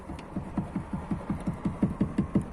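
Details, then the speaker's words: Lada Priora rattle at rear right over bumps: rapid regular thumps, about five a second, as the fuel filler neck pipe is shaken by hand, knocking against the body; a rubber spacer to the side member is the suggested fix. "вот лючок бензобака идет патрубок который до бензобака вот вроде казалось бы все закреплено все нормально все бомба но когда делаешь вот так то есть вот слышите да не знаю как на видео слышно ни от стук идет о салон этот стук его вообще прекрасно слышно"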